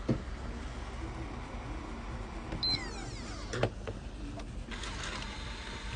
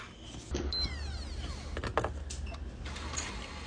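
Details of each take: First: PlayStation 4 disc drive that made odd noises and wouldn't read: motor whirs and clicks as the disc ejects, but the loading mechanism doesn't retract because of a missing return spring; fitting the spring fixed it. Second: PlayStation 4 disc drive after removing a stray screw and refitting the missing spring: short motor whir with a sweeping tone and clicks as the disc ejects and the mechanism retracts; game is recognised, normal operation.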